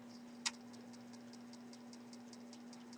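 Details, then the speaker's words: Commodore 64 floppy drive reading a mold-infested diskette after cleaning the head: steady hum with ticking about five times a second and one louder early click, yet it gets a read and shows the directory. "You can hear that clicking sound. That often worries me, but it looks like it's getting a read."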